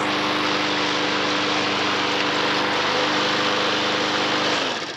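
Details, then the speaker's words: Non-runner lawnmower (self-drive, missing drive handle) started on fresh fuel after old fuel evaporated: smooth, even buzz at constant speed with no stumbles or rattles, then clean shutdown; healthy runner, drive untested. "all these mowers with a bit of fresh fuel in them they've actually all gone on to start up"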